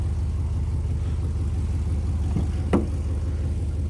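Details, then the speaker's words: 2005 Dodge Ram 1500 quad cab, 4.7L Magnum V8: idles with a heavy, uneven low throb, about three pulses a second, and a brief knock; known exhaust leak. "it has an exhaust leak so it's not supposed to be making that sound"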